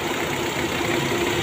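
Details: Nissan Almera petrol engine with dragging and low power: uneven idle with a low thump under a steady hum, a misfire, checked cylinder by cylinder with a scanner power-balance test.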